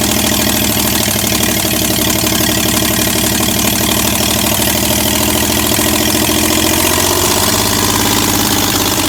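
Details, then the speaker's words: 1965 Chevrolet C10 307 small-block V8, first start in 20+ years without exhaust manifolds: loud raw roar, uneven stumbling firing and pops, idle won't settle; ignition timing was wrong, later fixed. "And there was a little bit of mistakes going on, but we got it fixed. Timing wasn't right, as you can see, but we fixed that."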